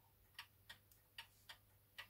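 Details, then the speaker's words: Antique Ansonia mantel clock movement after servicing and lubrication, on a level bench after pendulum regulation: clean ticking about 150 a minute but alternating short and long gaps, limping; clock out of beat. "now it's also the beats a little bit out so we have to adjust that my bench should be perfectly level here and if you can hear that it's kind of it's kind of ticking with a limp so one side the dwell is a bit longer than the other"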